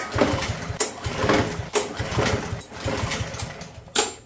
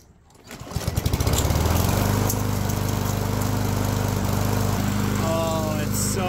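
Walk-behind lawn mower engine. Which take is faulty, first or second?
first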